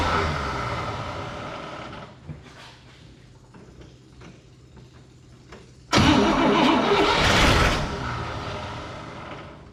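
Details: 1961 Cadillac 390 V8 after oil leak repair, valve cover off: slow rhythmic cranking for several seconds, then it catches with a rough burst before easing off; hard starting, cause unclear.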